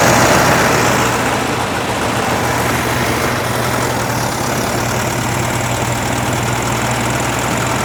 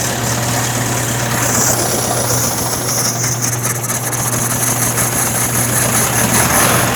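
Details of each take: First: 1961 VW Beetle air-cooled flat-four, cold start with choke open on a 46% battery, revival test fire: even steady putter at idle, no knocks or misfires, settling after first fire; pretty smoky, oil and charge lights on. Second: 1961 VW Beetle air-cooled flat-four, re-fired after wiring tidy-up: fast, somewhat uneven chuff with a steady hum. Rough idle; the carburetor is described as not the greatest, and it needs to be off choke.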